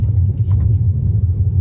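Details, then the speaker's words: Tesla Model 3 after DIY upper control arm joint lubrication fix, out of warranty: rolling over driveway lip, only low road rumble, no squeak or creak that previously occurred there; fix worked. "nothing absolutely nothing wow even going down my street it would make the sound I know it would make it but nothing"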